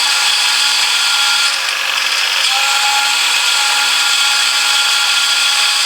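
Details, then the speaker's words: Ford Focus power steering being bled after running completely dry, wheel turned lock to lock: steady high whine with fizzy edge as the pump still draws air; fluid level dropped and is topped up, whine should fade as air clears. "now this one's still making a bit of noise so we just I can see the fluid's gone down again so I'm just going to top it back up again"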